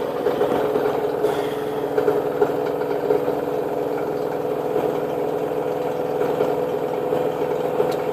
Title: Washer and dryer noise when it is spin!